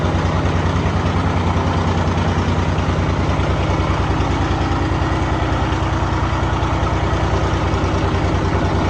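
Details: Steady, even diesel idle with a regular beat of about 200 per minute, no knocks or misses; runs smooth and healthy.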